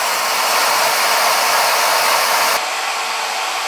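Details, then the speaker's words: Router, recorded at table edge: loud steady high-pitched rush at full speed, about 95 dB, drowns out voice; normal. "95 and A2 at this distance. And I'm sure it's hard for you to hear me."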